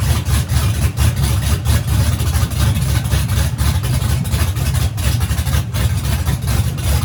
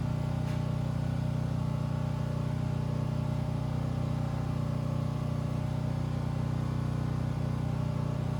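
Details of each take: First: Freshly rebuilt turbo engine at first fire-up after teardown, started with starting fluid, headers on and turbo hot side not yet fitted: deep, loud, lumpy rumble with steady pulsing and no knocks; runs healthy. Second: Turbo methanol engine after teardown, first fire-up, 1 psi oil pressure: steady even cranking about three beats a second that never catches; crank no start, owner suspects fuel lost its prime.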